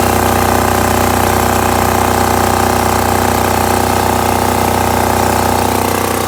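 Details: Tahoe 7000 LXH diesel generator, previously would not start due to a faulty starter relay unit with a suspect white-cable connection; steady, even diesel drone at constant speed with no misses or surging, starting and running properly.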